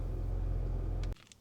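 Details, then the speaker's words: $900 BMW E90 fitted with junkyard parts, second start after power steering pump briefly ran dry: low, steady, even idle just under 1,000 rpm with no ticks or misses; running smooth, iDrive not working. "She is running. Cold AC and everything, it's just the iDrive doesn't work. And running smooth at that. Look at that, we're staying right under 1k RPM."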